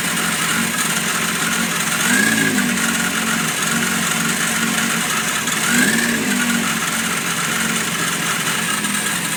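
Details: Yamaha FZR motorcycle at idle: steady idle with a short high chirp about every four seconds; intermittent squeak, cause not pinned down.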